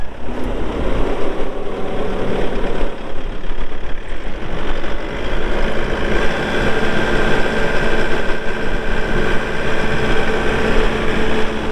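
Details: 2019 Bobcat T770 skid steer diesel, 1,364 hours, high flow, 2-speed: steady, even low diesel rumble at constant idle with no knocks or misses; normal diesel idle.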